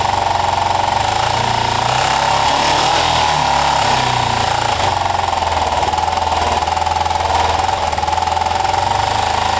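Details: Kawasaki ER-5 twin, running after carb float height work, with new coils and good spark. A loud, ragged, uneven beat with sharp spitting pops through the intake: rough running with backfiring. The owner suspects the carburettors; it is perhaps slightly improved but not fixed.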